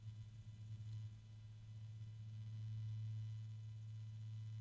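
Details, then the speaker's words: Asia Horse fan unit (one of three fans) turned up from slowest speed: a steady, deep, low hum at one pitch, growing noisy with shaking; owner assumes a bearing starting to fail. "I don't know if you guys can hear it but there's a weird noise I'm assuming it's the bearing not starting to hum kind of a deep hum it's getting kind of noisy now"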